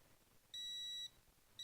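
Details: Brake fluid tester on a 1982 Chevy S-10 with a rebuilt 2.8 engine gives two steady high beeps, about half a second each, reading 2.2% moisture on an old fluid sample, surprisingly low given the long-open cap.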